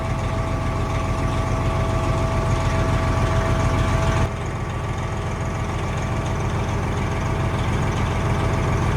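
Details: 389 diesel after switching to AMSOIL, run in neutral for about a minute following inspection: deep, even chug at a steady idle with no knocks, ticks or misses. Normal idle.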